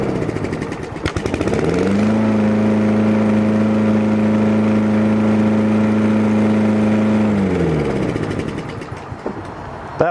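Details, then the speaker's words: Toro Recycler 22-inch mower with auto choke, after oil change, carburetor cleaning and a new spark plug: catches quickly, runs up to a steady even hum with no misses or knocks, then winds down smoothly; starts easily and runs well. "sounds really really good starts easy love the auto choke system on this"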